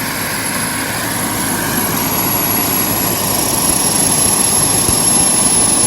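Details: JetCentral model turboprop turbine on a test stand during start-up testing, temporarily fitted with a wrong-size test propeller: constant jet-like rush with a fine high whine, steady then slowly building as it spins up; normal running.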